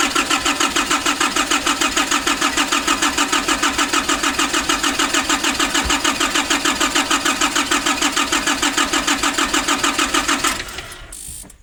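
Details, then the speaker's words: 2005 Nissan Urvan diesel, cold, after pump work and replacing the pressure bolt and pipes: starter churns evenly at about three turns per second for ten seconds and never catches, from diesel fuel starvation. The filter is being hand-primed between attempts. "Like this, you need to have at least 2 people. One is pumping the diesel filter and one is cranking. So I'm going to try again."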